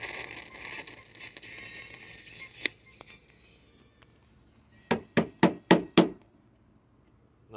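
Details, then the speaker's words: 1974 RCA AS128e 12-inch black-and-white solid-state TV: a thin hissy squeal, then four or five sharp crashes from the speaker about four a second; intermittent sound crackling and squealing, with a loose connection suspected but not confirmed. "so it looks like we're going to have a part five on this thing we're having intermittent sound crashing and squealing"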